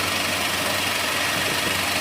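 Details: Acura TSX warming up after exhaust redo using stock mufflers: steady, even idle with a hissy, airy top end, no knock or misfire; a rattle suspected to be the clutch throwout bearing, VTEC solenoid gasket possibly leaking.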